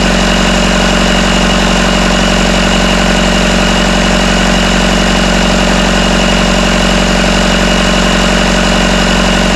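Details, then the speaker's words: Freshly rebuilt Isuzu 4BD1T diesel in a Hitachi EX120-2 excavator, first run after tightening loose rattling bolts at the back: smooth, even idle about 1250 rpm, no rattle or knock; healthy. "okay let's see if that sounds it's not rattling it's about 1250"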